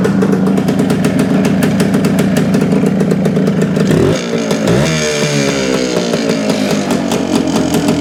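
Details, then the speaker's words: 1971/72 Suzuki TS250 two-stroke after fitting a 170 main jet for altitude: revs raggedly, bogging and stumbling as throttle opens, still not taking fuel properly; fuel delivery problem, owner plans to change the plug next. "sounds better but it's it's still not taking the fuel I'm I think I'm going to change the plug and try it again"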